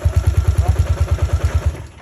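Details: Engine cranks steadily at about eight pulses a second but never catches, then stops; the spark plug is found wet, preventing ignition, and replacement is planned.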